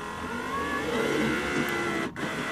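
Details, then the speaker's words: 1996 Toyota Camry driver door power window after window motor repair, tested up and down with the key on: steady motor whir as the glass travels, then a stop and clunk at the end; window works normally. "down window up so we got a working window"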